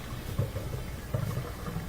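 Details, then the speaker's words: Frigidaire dishwasher that wouldn't drain, after the air gap was cleared, the impeller freed and the filter cleaned. Drain motor starts on cancel with a soft low hum and gurgling water rushing freely, draining well again. "Should start the drain motor. There we go. So it's flowing really good. We can hear it."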